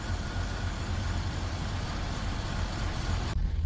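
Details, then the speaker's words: Buick Rendezvous that failed to start, now idling: uneven lumpy idle with irregular low thumps and shaking, heard at the muffler; P0300 random misfire and 1189 oil pressure switch codes stored. "Pues sí está fallando pero ya tiene una encendida vamos a abrir el cofre y vemos a ver si se le ve algo por ahí cabecea bastante no está trabajando parejo"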